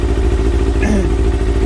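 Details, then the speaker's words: Kawasaki ZX6R J2 after carb rebuild with new main jets and needle clip change, warming up at 55 degrees before synchronisation: deep lumpy slightly uneven idle; carburettors quite out of balance. "We have to let the engine warm up, so we're at 55 at the moment. You can see that it's quite out."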